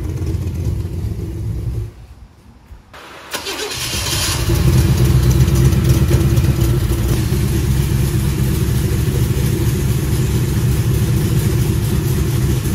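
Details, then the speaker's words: Corvette being readied for a cross-country road trip, just test driven for the first time: cranks, catches and runs with a deep uneven lumpy throb; rough running, suspected fuel injection not working as wanted. "but we're having some serious issues well let's see what the oh sounds like they're not running very good oh that's not"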